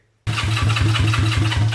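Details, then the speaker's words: Honda CB350 basket-case twin, first start; catches and runs with a lumpy, loping beat on one cylinder, no spark on the other side. Owner's theory: a tiny wire supplying the coils gives only enough power for one cylinder. "the reason it's running on that one cylinder is because that's all the coil has enough power to run it's one cylinder"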